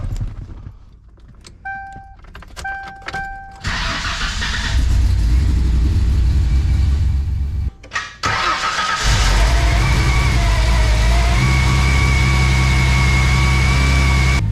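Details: 1995 Ford Thunderbird SC after repairing front-mount intercooler piping, cold rainy weather: starter cranks, engine stumbles, catches on second try and settles into a steady low idle with a faint whine on top.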